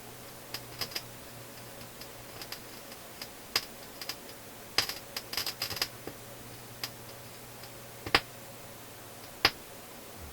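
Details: Philips console stereo receiver: irregular sharp pops and crackles over a low steady hum at the output; traced with a scope, with power supply dips suspected but unconfirmed.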